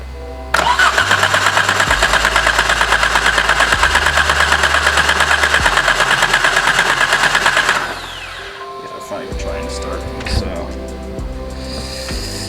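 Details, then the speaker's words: Exocet with fuel, spark and compression present; it starts on starting fluid. Cranks at a steady three beats a second for seven seconds and never catches. The cause is unresolved, with the crank sensor or something not getting power suspected. "So I can't get this thing to start. It's pretty basic. I have gone through everything that you can think of."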